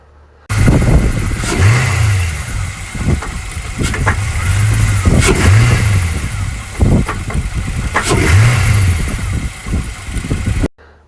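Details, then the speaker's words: 2000 Chevy Camaro Z28 LS1 V8, automatic: revs then drops to low idle after letting off throttle, sharp knocks most audible at low rpm; owner unsure it is rod knock but concerned; engine knock at low idle. "as you can tell it didn't sound very good it was fairly concerned I didn't think it'd sound of like a rod knock but I knew it didn't sound good"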